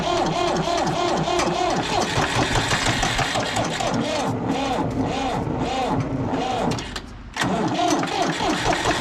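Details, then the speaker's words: 1960s Ford diesel tractor, sat in a barn about 20 years, first start: cold idle chugs unevenly, seemingly running on two cylinders until the third kicks in; left to warm up, oil change next, described as a little worn out; rough uneven idle. "seems like when it's cold it's only running two cylinders and then hear the third one kicking in so I'll let it uh warm up for a little bit"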